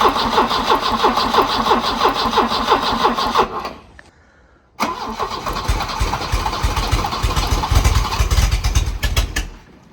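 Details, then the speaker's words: 1984 Volvo 244 GL revived from the woods, hot-wired to the coil and running on starting fluid down the intake with no fuel system: chugging about three beats a second that dies, then another try sputters and fades. Fuel starvation. "Yeah, it's not getting enough fuel, but we can fix that."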